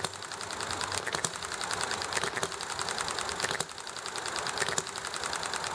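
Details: Enjomor model engine running nicely: sharp single firing pops about a second apart, each followed by quiet coasting, over constant highway, alley traffic and conversation noise; governor cycling properly, normal hit-and-miss running.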